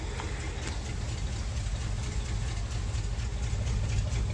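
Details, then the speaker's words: 1977 International Super Scout II V8, 4-speed 4x4, newer exhaust, fresh gas added, plugs and oil unchanged: deep slow V8 burble with slightly loping beat, no knocking; idle sits low and could be raised a touch, cause not confirmed. "So I don't know how accurate it is, but it's got a little bit newer exhaust on it. Here, it probably needs to be idled up a little bit."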